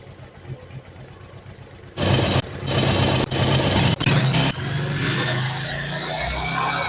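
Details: Yamaha Virago 1100 V-twin after valve adjustment and carburettor synchronisation: fires after a few catches, settles into a steady, even lumpy idle with clean revs; running normally.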